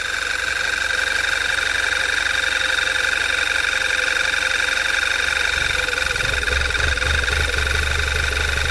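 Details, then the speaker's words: 2011 Volkswagen Tiguan 2.0 with check engine light, at idle: steady idle with a loud vacuum hiss; pulling the dipstick makes the idle dip and stumble, nearly stalling, from heavy crankcase vacuum — failed PCV valve, needs replacing. "you hear it there's a wicked vacuum on it pull the dipstick dirt almost dying out there's significant vacuum on this like sucking it back down and just running like dog cards so this one's gonna be kind of cut and dry uh it needs a new pcb"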